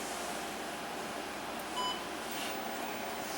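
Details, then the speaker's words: Zenith Z-19 (Heath H-19) serial terminal: a single short, high beep at power-on over quiet room hiss, then a click; the logic board is alive and running. "Alright, we heard a beep when we powered the thing on, and there's an offline switch here that switches it between local echo and not local echo mode, and also cuts the serial port on and off."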